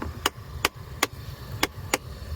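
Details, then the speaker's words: 2010 fourth-generation Dodge Ram with no heat on the driver side in winter: the blend door servo under the glove box clicks sharply about twice a second over a low hum after a failed HVAC reset, with its door stuck in the down position. "uh and the valves with the electronic control unit and it's supposed to reset it and it does fix some things but on this one it doesn't and you can hear now the servo clicking and this Servo is underneath the glove box"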